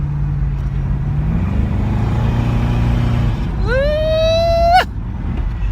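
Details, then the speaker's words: 1978 Chevrolet Caprice Classic Aerocoupe with a Procharged 5.3 LS swap, driving; it also nearly stalls coming off the pedal. Steady drone, then a sharp whine climbs with revs and cuts off on lift. Whine under acceleration, cause unknown. "and I'm driving the Caprice I don't know if you can hear that whine"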